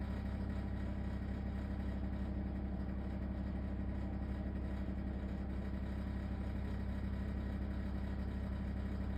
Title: LG ThinQ wses4728f - horrible rattling noise